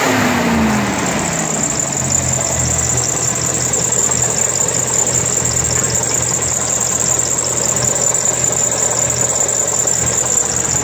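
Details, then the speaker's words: 1992 Chevrolet S10 2.5 fuel-injected Iron Duke four-cylinder, 164,689 original miles: free rev climbs off idle and holds a steady even roar with high fan hiss, no knocks or misses; runs healthy. "Let's see if I can rev it here."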